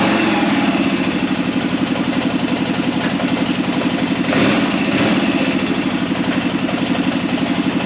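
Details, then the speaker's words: Arctic Cat Prowler engine just rebuilt with new pots (cylinders), first start after priming the carb: steady pulsing idle at about four beats a second with an even rhythm, no knocking; running fine though air in the system needs bleeding. "Seems to be working good."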